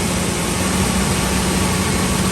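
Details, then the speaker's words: 2003 Ford F-350 Super Duty 5.4L V8 after replacing the passenger exhaust manifold (suspected cracked, rusted or broken studs): steady, smooth low-rumble idle with no ticking or puffing from the manifold side; normal idle after the repair. "We should be sounding a whole lot better now. That's how it's supposed to sound. Look at it. You gotta fix that. You don't hear anything, guys. Look at that. It's a smooth running engine."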